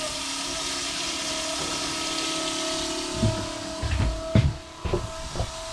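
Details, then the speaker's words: Boat water pressure pump running during plumbing tests, quieter than owner expected: quiet steady hum, even low purr, no knocking or rattle, some handling clunks later; pressure regulation working well, healthy. "je m'attendais à un truc qui gueule un peu mais ça ronronne on entend la pompe mais c'est pas c'est pas méchant quoi"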